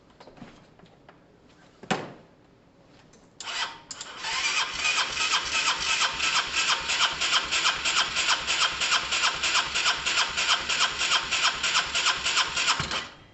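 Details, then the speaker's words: Honda SH125 scooter after new relay, timing possibly set wrong: steady starter cranking about three beats a second for nine seconds, one odd kick like compression, never catches; crank no-start, owner unsure if fuel or spark. "there was some sort of kick something um i'm gonna try again a couple of times in case it's just all the fuels just getting around"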